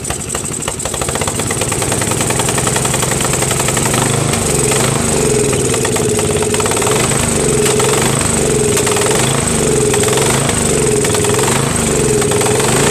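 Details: Craftsman 13.5HP mid-engine riding mower with a replacement single-cylinder engine, new starter, battery and key. The thump rises and falls with sharp backfire pops, sounding worse than before. Cause not pinned down.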